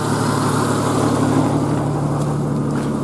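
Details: 1991 Jeep Cherokee XJ 4.0L High Output, hot after driving, with new fuel pump and fuel filter; steady even low idle hum with no knocks or misses, runs like a top, though it still needs a head gasket.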